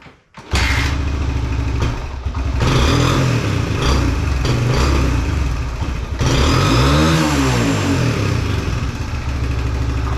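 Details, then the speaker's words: 2021 Suzuki DRZ 125 after carb jetting: idles fine, but each throttle blip sags and labours instead of revving; still bogs, owner suspects the intake valve is off quite a bit. "but soon as you try to rev It Up same issue again I thought that was going to you know be a bit better so I'm wondering if the valves are it's like something is definitely like drastically off"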